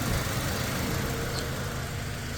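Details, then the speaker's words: Toyota Fortuner petrol 2.7 (possibly 2TR) with LPG, after repairing rat-chewed wiring: smooth, even idle with no stumble from the exhaust, normal idle on petrol. "ไปฟังเสียงท่อไอเสียกันเนียนกริ๊บไม่มีสะดุดแล้วฮะ"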